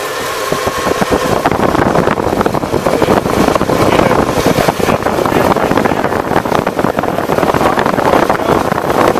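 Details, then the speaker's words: 1985 Oldsmobile Custom Cruiser 5.0 V8 after the squealing belt was fixed by removing the power steering belt and running the alternator belt only: steady idle rumble with no belt squeal. "you could do it with the alternator only you see I don't hear no squeeze no more"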